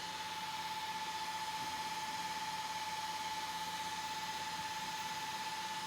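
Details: Traxxas X-Maxx RC truck: a steady high-pitched whine over an even electric hum, with no knocks. The drivetrain whine's source is unknown; the owner wonders about a bearing and plans to open the front diff and check the diff cups.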